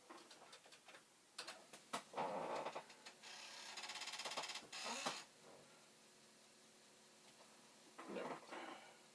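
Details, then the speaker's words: Commodore 1541 disk drive, test mechanism fitted to a faulty drive's board and power supply, head stop badly out of adjustment: irregular bursts of clicks and a rattling buzz about three a second as the head steps back and forth, never settling into a read. "Is this really trying to read? Not really."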